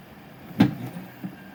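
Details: Prusa SL1S resin printer: a quiet hum, then one sharp loud bang with a smaller knock after as the tilt mechanism struggles on some layers; cause unclear.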